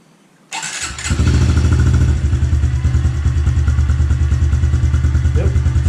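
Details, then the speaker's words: Fuel-injected 2021 Honda CRF110F, about 10 hours, started right after an oil change and JTI shift-shaft brace install: kicks to life into a quick, steady single-cylinder idle with no knocks or misses; fuel pump audible, healthy. "good can hear that fuel pump running we should be good"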